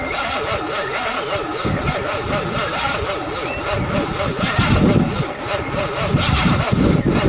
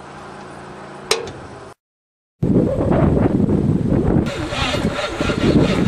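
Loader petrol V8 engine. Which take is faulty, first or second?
second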